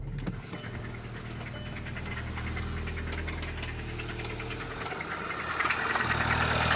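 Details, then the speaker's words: Audi A3 hatchback, about 197,580 km, long-sitting auction non-starter: steady idle with rough, regular knock about three per second; owner suspects blown engine, possibly oil pump or turbo, cause unconfirmed. "the call girl sounds like she's running on nuts and bolts this is going to be an adventure did you hear that she doesn't sound happy I have a feeling that it might be a blown engine"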